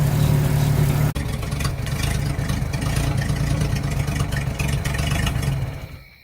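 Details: 1950 Chevy coupe after idle adjustment and fitting a 3D-printed choke part: even, steady idle at about four beats a second settling smoothly before shutdown, no hunting or stumble; engine healthy, part a success.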